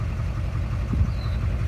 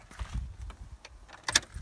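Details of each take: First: 2006 GMC Duramax LBZ diesel at idle after bad fuel, with the suspect injector unplugged as a temporary fix: a deep, even rumble with the earlier knocking and black smoke gone; a toasted injector was later confirmed and replaced. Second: 2006 GMC Duramax diesel V8 (LBZ/LLY), after bad fuel, heard at idle: heavy rhythmic knock about three per second, helicopter-like, blowing black smoke, from a failed injector; disconnecting that injector stopped the knock and smoke.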